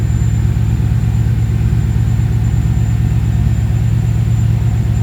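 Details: Ford Capri with Mercedes M113 5.0L V8 swap on new MaxxECU Race: deep, even burble at idle, steady beat, no misfires or knocks, running about 13.8 AFR with stable 32 psi oil pressure; probably smoothest it has run, timing reading still odd.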